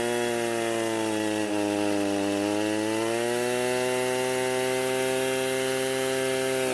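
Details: Echo SRM 230 two-stroke trimmer after repair (correct ignition coil and new carburetor fitted): high buzzing note holding steady with a slight smooth dip and recovery, clean and even throughout; healthy running.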